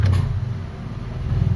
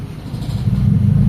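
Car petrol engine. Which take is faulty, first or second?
first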